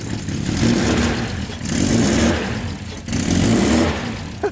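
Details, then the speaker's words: Nissan R33 with a big turbo on its first start: throttle blips swell and fade unevenly as it bogs and stumbles; owner suspects too much fuel choking it. "all right so that's probably just like too much fuel it's like probably just being like it's choking inside"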